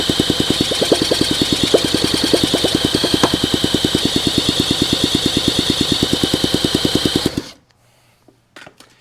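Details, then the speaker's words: 1971 Honda SL125 single, long-sitting, seized engine freed, carburetor cleaned: weak uneven chuffs about eight beats a second, dies after seven seconds; smoke and heavy blow-by from the case, owner suspects compression issue. "The combustion right here is smoking out the case. I got a lot of blow-by going on."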